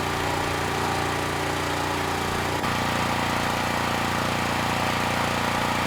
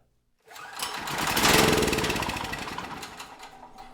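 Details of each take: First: Generac GP5500 generator under about 2,500 W load; steady drone that drops and settles lower partway through, engine speed below the ideal of around 60 Hz; about 15% THD; low engine speed under load. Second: Generac GP5500 generator, neglected non-running unit, fuel fed straight into the cylinder: starts first pull and runs a few seconds with even firing, no knock or miss, lighting a test lamp before fading out; normal running.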